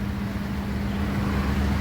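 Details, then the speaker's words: Split air conditioner after the repair that reconnected its 4-way valve power wire, which had kept it from switching to heat mode; steady, even low hum as it heats normally. "Qizib oldik. Ishlayapti. Iskamni qator tekshirib qo'yamiz. Mana o'sha konditsionerimiz уже ishlayapti."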